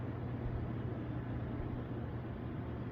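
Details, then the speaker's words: Hot tub jet pump after replacing a bad capacitor that had left it only humming: steady, even low hum and rumble of the pump running normally with the jets on. "appears to be working as normal. All it was a bad capacitor, which is right beside here."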